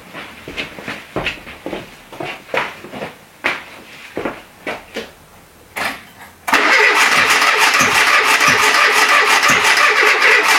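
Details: Renault Trafic, rebuilt junkyard C1J S 7000 engine unrun about 15 years, after a reversed gear is refitted: uneven cranking bursts about three a second, brief catches that never pick up, then a steady roar; it tries but won't run. Owner suspects flooding or valves.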